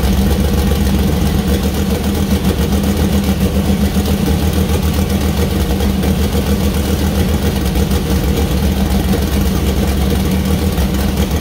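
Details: First start-up of fresh 2000+hp LS (Dart LS Next block, Brodix BR3 heads, .750 lift solid roller cam): deep lumpy V8 idle, strong steady low beat, no ticking or knocking; sounds healthy, minor oil and water leaks noted.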